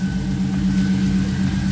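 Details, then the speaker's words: Subaru Baja after removing and reinstalling the fuel pump assembly to fix a failed pump seal that let fuel pressure drop and run lean under boost: short, smooth steady idle with an even low hum, no misses or knocks; now running fine. "so get that going seems to be running just fine now"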